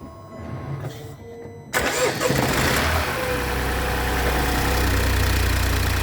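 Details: BMW X1 18i with B38 petrol engine on cold start cranks, catches and settles into steady idle with a light regular ticking; cause unknown.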